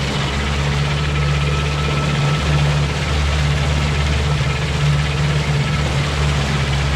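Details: 2020 Mercury Marine 50 hp 4-stroke EFI outboard with about 65 hours: deep steady drone at low speed with a dull irregular knock underneath, only while in gear; cause not yet identified.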